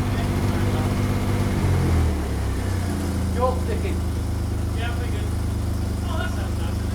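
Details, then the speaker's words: Six-cylinder engine at first start-up of a project revival, idling low and lumpy with a rev blip, running on five cylinders because one spark plug lead was off; runs sweet once all firing, getting quite warm. "I think it was running on 5 for some of it. Well, it was because I had a plug off when you fired it up."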